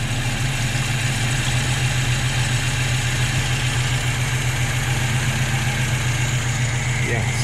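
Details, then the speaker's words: Volvo B18 with Weber 32/36 carburetor, warm, idle mixture screw at base setting: low, uneven idle with a constant airy hiss, running very lean and barely keeping going. "so it seems to be a little bit on the lean side so if we go half one one and a half two that's supposed to be the base setting let's see what happens here barely running you can hear it there's like a hissing"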